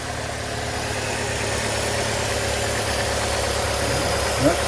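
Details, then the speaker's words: 2002 Pontiac Grand Am SE 2.2 idling right after an oil change: steady, even idle with a smooth low hum, no knocks or ticks, sounding much better than before; engine healthy. "Oh, that sounds a lot better than it did. Let that sit and run for a minute."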